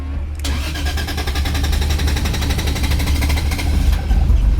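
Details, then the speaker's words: Toyota Chaser 1JZ (450hp) hot start: several seconds of steady, even cranking before the warm petrol engine finally catches. Slow, hard hot start. "The hot start isn't the best in this thing. I've been playing a game lately. How long does it take to start the chaser?"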